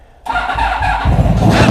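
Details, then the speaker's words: Motorcycle starting on a battery that sat on a shelf a year, after regulator rectifier found faulty: quiet, then engine catches abruptly and settles into a steady, slightly rising run; starts readily, though voltage later drops and it stalls. "moment of truth does she work now that battery's been sitting on a shelf for a [ __ ] year"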